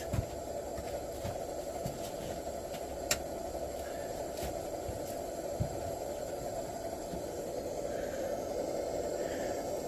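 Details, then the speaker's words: 1948 Major 236 pressurized lantern, bought disassembled, after 20 more pumps: soft steady hiss with no sputtering or surging, constant even burn; normal burner hiss. "I love the sound of this thing you hear that steady little what you call it Funk to it love it"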